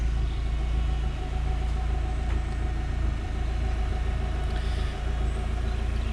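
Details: K-series petrol engine at idle: smooth steady low idle with an even deep exhaust tone, slightly boomier, owner suspects the original back box; no knocks, misses or ticks; normal idle.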